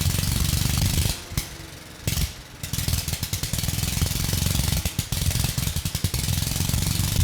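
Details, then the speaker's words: 1993 Little Wonder push leaf blower, 5 hp Briggs & Stratton flathead (model 135212), found trashed with low compression, now reading 60 psi; run with no exhaust or carburetor fitted, loud open popping with one brief stumble, then running steadily. "So, I know it doesn't look like much, but we now have a runner. You know, all you need is fuel, spark, timing, and compression, and the engine will run. And this engine, it's actually running and sounding quite well."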